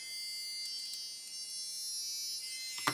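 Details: Hachette Avro Lancaster model small motor on test pack; tightening mounting screws made no difference: thin steady high whine with a couple of brief knocks near the end, cause undetermined: motor whine, cause unknown.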